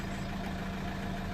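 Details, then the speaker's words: 2008 Citroen C4 Picasso diesel, air suspension compressor running while raising low rear: steady low hum, even unchanging tone, no knocking or rattling; normal compressor run. "so it's raising now so the compressor is running I can hear the compressor running"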